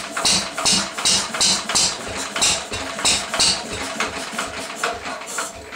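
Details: 1937 Lister D rated 2 hp, first run after many years unstarted, fires slowly and unevenly at about three beats a second with sharp crackling pops. It is running very poorly and backfiring; the owner wonders if timing is the cause.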